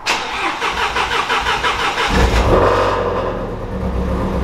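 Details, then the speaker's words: Shelby GT350 that had been fixed, then had something go wrong again: cranks, then catches with uneven, lumpy firing and a ragged idle that won't settle; described as sounding icky and shut off; cause not yet known. "kinda just it sounds icky can i turn it off"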